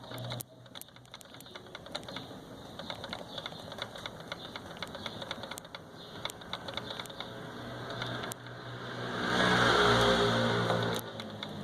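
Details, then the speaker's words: New Ford Ka door being shaken: quick uneven light clicks and rattles from a loose part inside the door lock, present on all four doors, near the driver's left ear. "Basta chacoalhar a porta, você vai escutar um barulhinho. Esse barulho é dentro da maravilhosa fechadura."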